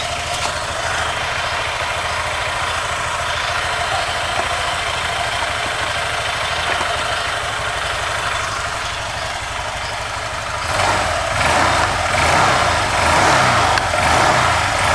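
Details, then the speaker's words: Honda Vario 150 (LED, older model) scooter after fitting Cheetah Power TCI driver/power-up to coil line at default settings: even single-cylinder idle, revs climb cleanly and drop back smoothly; throttle response good. "Responnya enak loh. Enak enak. Asli enak responnya asli enak."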